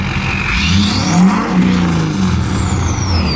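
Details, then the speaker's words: Ford 6.7L Powerstroke diesel with new 64mm Stage 2 turbo and AMDP tune, held near its rev limit: deep steady roar pulling clean, no knocks or misses; healthy engine. "That is rowdy."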